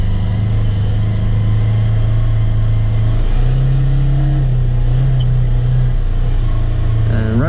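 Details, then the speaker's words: Polaris Ranger XP1000 CVT belt: steady whirring whine at low speed as belt slips before full engagement, fading around seven mph in high range. "seven miles an hour is when that kind of squealing goes away it's not even like squealing it's just like a like a whirring sound like a whining"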